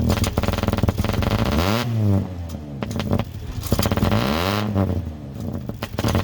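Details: Diesel truck, 146 on it, sat 2 years, primed after a new sending unit, revved cold and blowing black smoke; deep clatter with a ragged, stumbling note; rough cold running, owner suspects water in the fuel and says it needs to warm up.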